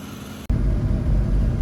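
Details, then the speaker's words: 1984 GMC Sierra Classic V8 after new alternator belt, 60 psi oil pressure, running a little rich with oil smoking off; after a brief gap a deep, even burble at idle, no knocks or misses; healthy. "I mean, that thing sounds really good. I mean, right? Listen to it. Just purring."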